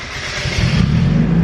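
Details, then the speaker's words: Turbo Miata restarted after a failed start (key cycled off and on): engine catches on the first crank and builds into a steady rising rumble; owner suspects the ECU loses track of cylinder 1 position, affecting cranking. "fires immediately so that is telling me that the engine doesn't know where number one cylinder is at any given time"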